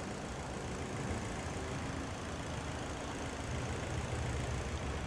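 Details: 2012 Toyota Corolla 2.0 petrol with check-engine light and cylinder misfire code: uneven, lumpy idle with irregular low thumps; misfire on cylinder two traced by scope to a faulty ignition coil, plugs new.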